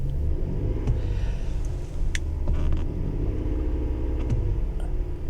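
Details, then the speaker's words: Engine running with plenty of fuel: deep low rumble that barely climbs when the accelerator is pressed; the engine bogs instead of revving, possible misfire suspected. "It doesn't rev well. See, that's me pushing on the accelerator. Hold on, there it goes. No. It bogs."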